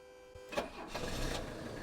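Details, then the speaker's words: Old Mercedes with an OM617 turbo diesel, not run for a while and started on a battery booster with fuel of unknown age. A brief crank, then it fires within a second and settles into steady diesel clatter; noisy but a very healthy start. "now for those of you not familiar with these old diesels you may think wow that's kind of noisy but that's a very healthy noise in an OM 617 turbo diesel engine"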